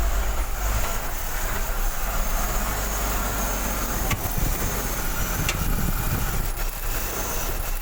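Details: BMW X5 E53 M54 3.0, cold morning start: low uneven rumble, misfiring as if about to stall, occasional sharp taps near cylinders 5–6, no knock first 1–2 seconds; fixed by cleaning throttle body with carb cleaner.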